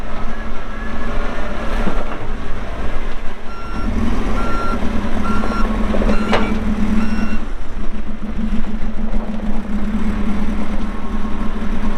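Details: 2014 Kawasaki 65TMV D2 wheel loader, pre-emissions Isuzu diesel, 7,671 hours, working: regular single-pitch backup beeps pulse over a steady diesel rumble; alarm and engine sound normal.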